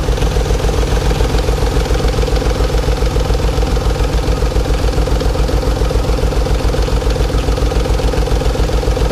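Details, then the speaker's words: 1992 Nissan 300ZX bought running badly: steady loud idle with uneven chuffing pulse, runs rough; owner suspects original injectors and an obvious exhaust leak; power steering not working. Rough idle. "So doesn't look too bad, but sounds like crap."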